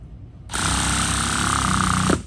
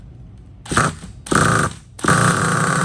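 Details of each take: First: 2010 Hot Bodies Stadium Pro 2 nitro truck with LRP .32 engine, warmed, primed, first break-in start on Byron 30% nitro fuel via rotostart: harsh buzzing crank, then lower note near the end as fuel reaches the engine. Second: 2010 Hot Bodies Stadium Pro 2 nitro truck, LRP .32 engine, warmed, primed, on 30% fuel, rotostart-started: three short high starter whirs with no firing; cranks but won't start, owner suspects air in the long fuel line.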